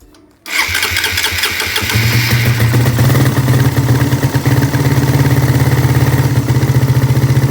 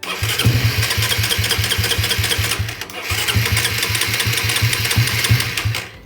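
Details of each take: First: Suzuki Satria FU carburetor motorcycle with automatic fuel tap fault that causes long cranking on morning starts, started fully cold: short crank, catches at once and settles to steady, slightly lumpy single-cylinder idle; normal cold start. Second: Suzuki Satria FU carburetor motorcycle, fuel deliberately put in the black vacuum hose of the automatic fuel tap to simulate a leaking membrane: two long runs of starter chugging, about three seconds each, no catch; extended cranking from leaking fuel tap membrane.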